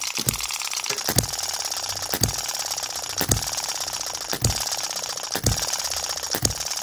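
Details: Microcosm M96 2cc model hit-and-miss engine, tweaked to slow down and extend the miss cycle. Sharp single firing pops about once a second with clattery coasting between; a little spark is not quite reaching the plug and the small end of the conrod knocks faintly.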